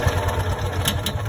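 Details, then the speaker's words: Kawasaki FE290D in a John Deere Gator, fuel and plug wire resistor ruled out, modified plug to view spark: lumpy uneven single-cylinder beat about ten firings a second, faltering as the ignition coil drops spark; engine dies. "and it'll die try it again [Music] it loses fire so it's got to be the coil and we'll get one in"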